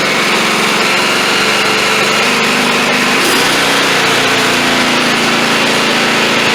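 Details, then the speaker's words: Cub Cadet XT1 LT42 Enduro mower with Intellipower, hot, running at cutting throttle: loud steady buzz that surges briefly high for a second or two, then settles. Owner will try disconnecting the battery; otherwise suspects the module. "Now I have read in some forums that if you unhook the battery for 10 seconds, which I'm going to try, it only surges like that when it gets hot."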